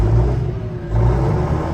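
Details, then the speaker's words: Fendt 936 tractor with a newly fitted exhaust, heard from the cab: a deep, even diesel rumble rising slightly with revs, with no whistle on backing off; the engine and exhaust sound healthy, and quiet in the cab. "bad news is it's really quiet in the cab now [Music] and you don't hear the whistle when you back off"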